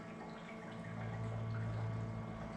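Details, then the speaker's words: Series 8 printer during commissioning: fast-drying black makeup fluid drains from the bottle into the makeup reservoir with a soft, steady gurgle under a low hum. This is normal filling, taking about 20–30 s until the gurgling stops. "it takes around about 20 seconds 30 seconds to drain into the printer you'll hear it stop gurgling and you'll also see this level here instead of saying makeup low it will say makeup okay"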